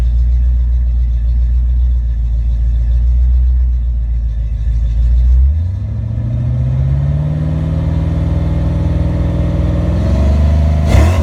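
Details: Ford Mustang V8 testing a rebuilt A9L mass-air ECU: even idle, then revs climb smoothly and hold with no breakups or stumbles; engine running healthy.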